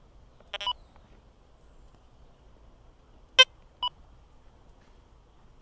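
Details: XP DEUS II metal detector used under power lines: scattered random beeps at uneven gaps over a quiet background; chatter from electromagnetic interference, cured by switching to a single-frequency program and tuning frequency.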